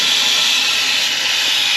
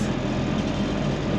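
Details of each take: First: 1962 Ford Falcon, sat over 40 years, run hot on a drive: steady loud hiss of steam with no engine beat beneath it as coolant blows out through a hole in the overheated radiator. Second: 1962 Ford Falcon started after new brakes: short stretch of steady, even low rumble with no knocks, misses or ticks, sounding better than earlier; engine running smoothly.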